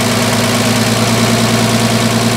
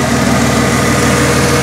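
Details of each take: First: 1996 Ford F150 4.9L straight-six, first start after rebuild and reassembly (new lower intake, valve train refitted): fast, even loud ticking over the fresh idle from collapsed hydraulic lifters, ticking until oil pressure pumps them up. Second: 1996 Ford F-150 4.9L straight-six, running after first start-up following reassembly with manifolds, valvetrain and non-adjustable rockers reinstalled: smooth, even idle with steady rumble; lifter noise gone once oil pressure pumped the lifters up, running healthy.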